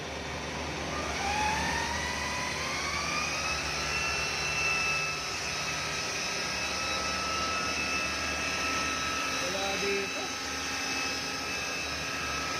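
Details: 2013 Chevrolet Malibu with a customer's humming noise complaint: steady whirring hum from the engine bay that climbs in pitch as revs rise, then holds even; timing chain noise is suspected, not confirmed.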